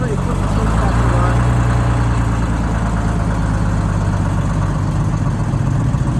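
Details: Rebuilt bus diesel after fuel-system fix, cold start (20°F overnight, about 42°F morning) with no ether or block warmer, at full fuel; deep, loud clatter idling evenly at steady speed, no stumbling. Fuel delivery sorted, runs healthy.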